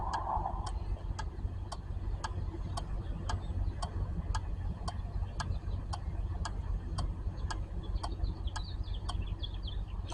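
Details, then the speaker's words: Four-pin starter relay from a 2008 Honda Civic with no-crank, no-start, on a relay tester: crisp, even clicks about two per second, steady and unbroken; relay switching cleanly and good. "then now we have to press the test all right sounds like the relay is good let's try again one more time"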